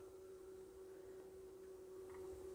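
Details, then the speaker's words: Pioneer CT-223/CT-S200 two-head cassette deck from the late 1980s, playing a sacrificial cassette; motor runs constantly regardless of mode, giving a steady, fairly loud even-pitched hum, motor noisier than it should be. "the motor is rather loud as you can hear"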